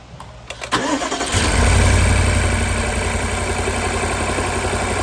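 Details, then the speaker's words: BMW N63 V8 with a misfire on cylinder 4 by the firewall, no spark from its coil and a suspect DME: it cranks, catches and idles lumpily with a deep uneven pulse. "so as you can guys see we're getting no spark in number four from the coil"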